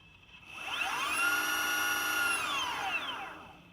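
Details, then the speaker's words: Healthy motor on a Boosted Stealth electric skateboard, spun for comparison against the clicking back-left motor: a smooth electric whine rises, holds steady, then fades; this motor sounds fine. "this motor seems fine."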